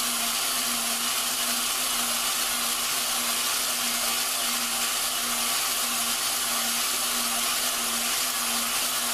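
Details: Drill spinning a valve against its seat during lapping on a stripped-down Dodge 4.7 engine cylinder head: steady gritty hiss with a faint even drone, the grinding compound still biting and cutting the valve and seat edges.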